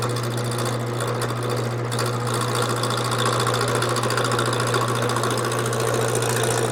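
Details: Wood lathe with the gouge started slowly on an off-center, out-of-round blank. Even motor drone under a rapid rattling tap, about three per second, as the gouge hits the corners and high spots. Intermittent cutting.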